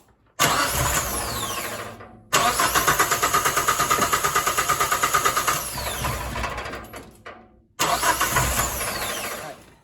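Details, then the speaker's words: Geo Tracker with a no-start, trial start after the timing belt was pulled and checked for jumped timing, with the radiator not yet fitted: the starter cranks with even compression pulses but it never fires. Fuel pump and ECU already tested, cause unknown. Crank, no start. "Don't know what it is. That didn't fix it."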